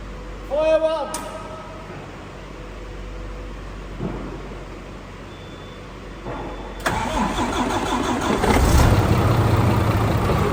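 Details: DAF CF85 Euro 6 truck diesel after top-end knock repair: worn inlet camshaft, rocker arms, engine brake replaced, tappets adjusted, new oil and filters; cranks, catches cleanly, steady even rumble, no knock, slight exhaust blow. Normal start and idle.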